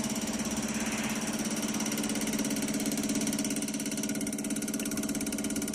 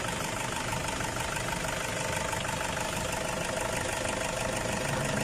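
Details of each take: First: Toyota Hilux Tiger D4D diesel after repair of fuel system leak: steady even diesel clatter at idle, no misses or stumbles; engine settled and smooth. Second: Toyota Hilux Tiger D4D diesel with warning light, sluggish acceleration, stalling and blow-by: rough uneven idle with puffing chuff three or four times a second over the clatter from a leaking injector seat washer.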